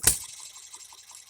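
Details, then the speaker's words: Economy hit-and-miss engine running after a new piston and re-ringing fixed its lack of compression. Sharp firing pops with light steady ticking between, fairly even but a little faster than intended. Healthy hit-and-miss running. "here we go it's a running engine now it it is his it is hitting and missing it sounds good it's fairly even a little bit faster than we need it to run but guys it's running"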